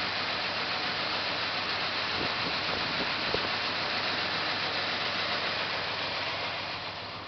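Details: 1974 Plymouth Satellite 318 V8 with a rough, uneven loping idle that stumbles irregularly; timing and plug wires already checked correct, cause unknown.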